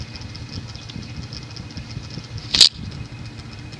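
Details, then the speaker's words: Emerson (Sears) 52-inch friction-drive ceiling fan, late 1970s, solid-state variable speed, at lowest speed: dull even knock about four times a second under motor hum, from rubber drive wheel deformed after sitting unused. "the rubber drive wheel will deform when that happens you have a knock"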